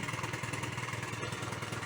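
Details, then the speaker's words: Honda Dio two-stroke scooter after fitting new exhaust pipe to replace a clogged one: steady quick burbling idle with even beat, no stumbling, little smoke; holds idle normally. "Ну в принципі це двохтакний скутер то що тут казати воно так і повинно бути хлостий тримає все хорошо"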